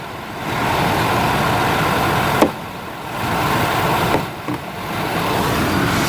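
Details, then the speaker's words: 1988-1999 GM/Chevy truck, 350 5.7 L V8, idling with A/C on low, the compressor switch connector jumped with a staple to test it: steady engine hum dips as the compressor clutch kicks on, then runs evenly and normally. "And if you look right here, if you just jump those 2 connectors, you can hear my compressor kick on."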